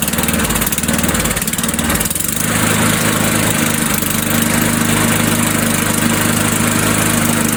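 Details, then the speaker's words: Old Sears Craftsman Eager 1 mower with Tecumseh engine, restarted without priming, throttle on low; fires cleanly and settles into steady, even low-throttle run with no misses or surging, healthy. "All right, now will it restart without priming? Let's put it on low. Let's try without priming."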